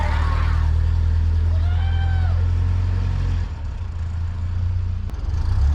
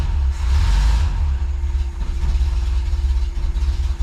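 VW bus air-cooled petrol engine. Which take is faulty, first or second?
second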